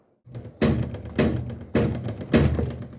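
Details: Washing machine knocking or jumping: heavy dull thumps roughly every half second as it bangs inside its cabinet. Needs service.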